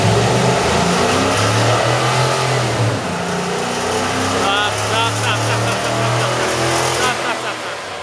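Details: 2011 Ford F-150 5.0 V8 bi-fuel revving under load on gasoline: rough metallic rattle over the drone, major detonation that does not occur on natural gas.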